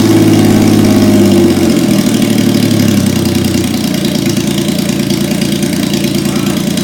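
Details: 1977 Yamaha XS750, first start after 30 years unused, with rebuilt carbs, velocity stacks, fresh oil, filter, plugs and resistors, fed from an auxiliary fuel tank: busy uneven start settling into a steady mid-pitched idle, no knocks; running and revving normally.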